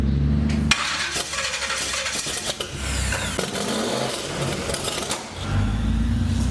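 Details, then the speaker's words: 1930 Model A hot rod with a big-block Chevy V8, first start, in park, no coolant yet. Lumpy, uneven running under clatter; owner suspects ignition timing is off. "Timing, I think. Could be out there. Sounds good. Yeah, it's for sure timing, but I don't want to run it too hot because I got to put water in it."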